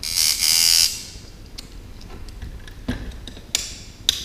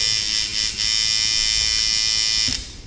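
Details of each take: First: Sidewinder V3 tattoo machine at 5.5 volts with the spring tension at about 1 mm and the stroke lengthened: a high-pitched buzz with a slightly uneven, stuttering run. The overly long stroke is making it run choppy. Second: Sidewinder V3 tattoo machine after shortening the stroke to remove choppiness, about 1 mm spring tension: steady, crisp high-pitched buzz with good impact, still sound down to about 5 volts; running normally.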